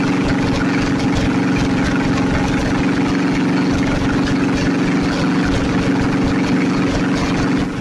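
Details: Freshly rebuilt budget Chevy 350 small block, first fire-up on the floor, recorded on a phone: loud, raspy, steady rumble through open headers, holding an even idle. Normal running with loud headers.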